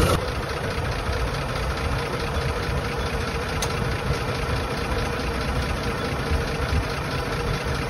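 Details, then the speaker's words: 1920s Rolls Royce Springfield Ghost idling after start-up with both ignition systems on, shutters open: slow, soft, regular beat with no knock or stumble, engine "purring". Normal idle. "Guess we're pushing her, huh? Listen to that engine purr."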